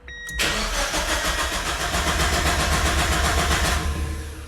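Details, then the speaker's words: Mazda Miata just fitted with a Mishimoto oil cooler and thermostatic oil plate, cranked with throttle floored so it won't start, to prime oil: steady starter cranking about four beats a second, never catching. "Pro tip, if you floor the car, it won't start, so I'm"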